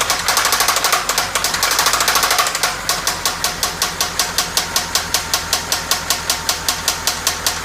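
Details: 1997 Toyota Camry, engine knocking: loud hard knock five or six times a second over a rough idle; the knock developed while driving, with repeated stalling and white exhaust smoke; head gasket failure suspected, not confirmed.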